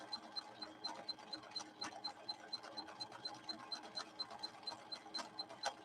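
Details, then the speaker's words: Viking Husqvarna 6460 sewing machine after several repairs, sewing at the maximum the slow gear allows so the motor is held back through the gears; steady needle clatter about two beats a second over a light gear whir, even and unstrained, normal running. "On this straightaway, I'm going to go to the max that this slow gear will allow me, so you can hear the motor being constrained back through the gears."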